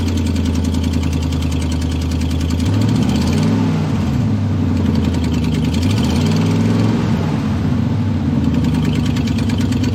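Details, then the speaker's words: Chevy 5.3L LS truck V8 idling: quick puffing tick from an exhaust manifold leak next to the head (broken manifold bolts common), quieter as rpm rises. "so notice how that exhaust leak actually sounded like exhaust once you started listening to it and also notice that as we raise the RPM it kind of got a little quieter as that exhaust was able to fly by that leaking spot there next to the Head"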